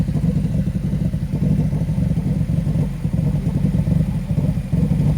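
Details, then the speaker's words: Subaru running with its fuel pump fuse pulled to empty the fuel lines before a high-flow fuel pump install: low rumble dips and surges, stumbling and sputtering as it starves for fuel until it shuts down. "all right it sounds really bad but I promise you we're trying to get rid of the gas that sounds so bad"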